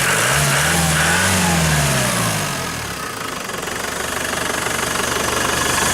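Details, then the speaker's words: Range Rover Classic 200 diesel, new cam belt and water pump, in neutral: fires on half a crank, even idle clatter rising smoothly on a throttle blip and settling back, no knocks or misses; healthy. "Again, like any 200, fires on half a crank, and sounds nice and smooth."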